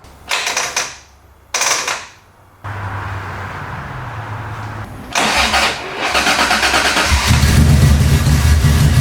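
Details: 1990 Toyota Pickup with swapped 3.4L 5VZ-FE V6 and new injectors, first start with unconnected vacuum lines plugged: two cranking bursts, then a lumpy, uneven idle running badly rich with fuel puddling from the exhaust; owner suspects something is tricking the computer into over-fueling.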